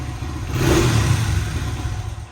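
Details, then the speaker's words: 2008 Honda CRF 100cc dirt bike, stock exhaust before FMF exhaust install: short clean blip rising and falling smoothly, fairly quiet; running normally. "You can see it's a little louder than the 70, but it's still nice and quiet."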